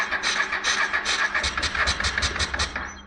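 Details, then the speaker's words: 1996 Honda NTV 650 motorcycle, sat six or seven years, carburetor cleaned, one choke missing, started with a booster: sharp uneven pops roughly two a second on first start; backfiring a lot and running rough. "oh it's backfiring a lot"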